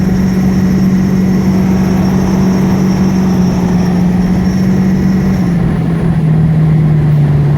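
A steady low-pitched whine rides over the engine, then drops slightly in pitch partway through as the speed eases.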